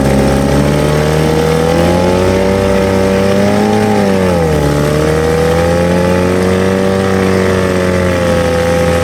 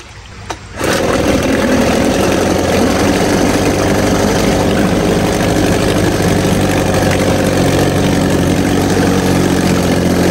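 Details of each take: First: 1950 Johnson HD 25 2.5 hp two-stroke outboard after carburetor adjustment, pumping water well: steady buzz at even speed with one brief dip and recovery, no misses. Running healthy. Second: 1950 Johnson HD 25 2.5 hp two-stroke outboard, first start after long disuse, run in a water bucket with carburetor adjusted: catches after a pull but the beat wavers at low throttle, won't idle lowest; owner suspects the points need cleaning.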